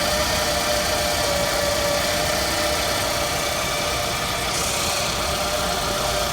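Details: 2006 Scion tC at idle: thin constant whizzing tone above the engine, no knocking; source unknown.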